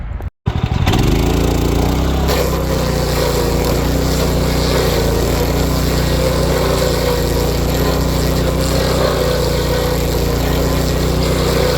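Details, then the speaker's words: Power King stump grinder after replacing failed, knocking grinding-wheel bearings: steady, even engine drone under load, no knocking or rattle from the wheel; clutch still growls, normal for that clutch type; running smoothly. "This clutch still makes growling noises, but all those type of clutches do that even when they're new. So, but yeah, knocking noise is gone from the wheel, so that's good."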